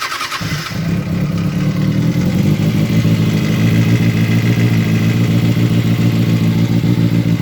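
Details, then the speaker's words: 2007–2008 Kawasaki ZX6R starting and settling into idle with a fast light ticking on top, cam chain tensioner tick, before the tensioner was removed, reset and reinstalled. "So today we're going to attempt fixing the cam chain tensioner. It's got a lovely little tick tick tick sound known as the cover tick."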